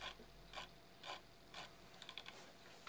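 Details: Xiaomi Midrone 4K drone motor turned by hand gives short scratchy bursts about every half second; a loose retaining clip has come off and is rubbing on the magnet.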